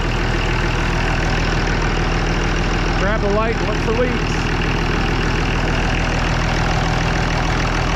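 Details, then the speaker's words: Oliver 1800 diesel tractor, cold, just after Stanadyne (Roosa-Master) injection pump repair and reinstall, bleeding air from fuel system: steady low clatter at slow even idle, no stumbles or misses; running clean. "Burning clean, especially for as cold as it is."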